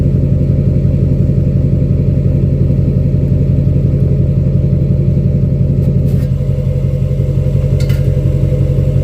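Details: 2006 Chevy Silverado LBZ Duramax diesel, DSP5 tune, after install of 5-inch straight pipe with flow-through muffler and 8-inch tip, cat removed; recorded near tailpipe: deep, even, steady throaty pulse, no knocks or misses; healthy normal idle.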